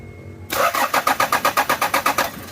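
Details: 1997 Toyota Prado: starter spins the engine in an even chug of about seven compressions a second for two seconds, but it never fires or catches; cranks but won't start, cause unknown.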